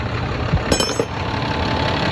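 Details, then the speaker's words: 2010 Dodge Ram 3500, about 100,000 miles, after tightening fitting (18mm wrench) to fix hissing under dash (power steering suspected): steady low idle, a few handling clicks early, hiss gone; normal idle. "Okay. The noise is gone. See that?"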